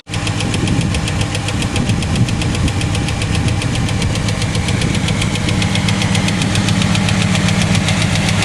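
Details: Chevrolet Cavalier at idle after fitting a used starter: light quick ticking about three or four per second from the front of the engine over steady idle; owner attributes it to hydraulic lifters needing replacement, otherwise runs fine.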